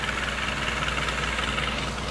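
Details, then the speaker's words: Chevy 2.2 four-cylinder after a cylinder head replacement idles with a fast, sharp puffing tick from an exhaust leak; the manifold is not leaking, and the sound seems to come from the rear near the EGR valve, source unconfirmed. "Everything's exactly where it goes. No leftover parts. Fire it up, and it's got this exhaust leak."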